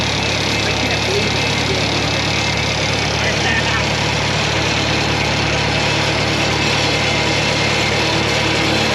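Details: LeRoi four-cylinder gas engine of a Bantam T35 crane on a 1945 GMC CCKW353 6x6, revived after 8+ years sitting and run on a little gas: a smooth, even, steady low drone with no knocks or misses. The fourth cylinder now sounds good; it runs healthy.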